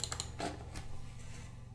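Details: Floppy A: drive in a Windows 95 machine after a repair attempt, accessed after boot: a few sharp clicks and brief chatter, then a faint hum. The drive makes sounds but the repair failed and the fault stays unknown.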